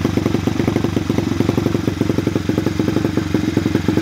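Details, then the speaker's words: New Chinese pit bike (Peace Moto XB87) after adjusting the carburetor idle screw a full turn: quick, even putter with steady low pops, no hunting or dying; clean, stable normal idle. "now you guys can hear it's actually at a good idle it's a very quick and easy fix"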